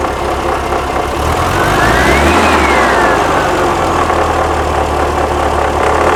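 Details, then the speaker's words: 1979 fuel-injected VW Super Beetle, air-cooled, warm idle after startup, smoky: slightly uneven idle knocking about four times a second, brief rev swell and faint hiss; vacuum leak suspected but cause unclear. "she's idling down it's on it warm idle startup let me get this uh button up and uh get a get a timing light on this do you have a vacuum leak"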